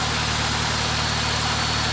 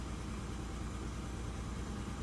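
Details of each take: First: Honda Civic: steady even idle, smooth low hum, no knocks or misses; transmission a little loud, but healthy car, normal idle. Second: Lowered car on coilovers, stock exhaust except a high-flow cat, about 118,000 on the odometer. It idles low with an uneven, stumbling beat and visible vibration. Misfire and rough running, cause unknown.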